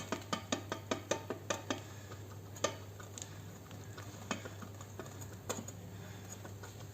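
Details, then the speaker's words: Front suspension shock absorber, rod pumped by hand: quick sharp clicking knocks, then scattered ticks. Play in the rod, with the piston knocking against the shock absorber wall inside. "Então faz esse barulho da folga da haste. Se a gente perceber a haste movimentando aqui, ó. A gente percebe um pouquinho de movimento aqui, mas o movimento maior é dentro do êmbolo do amortecedor batendo na parede do amortecedor."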